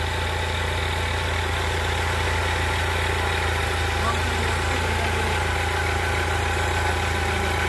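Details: 2003 Chrysler Sebring 2.4L after replacing alternator and power steering belts and tensioner pulley: even, steady idle with smooth low drone, no squeal, chirp or rattle; earlier whistling went away, AC on made no difference.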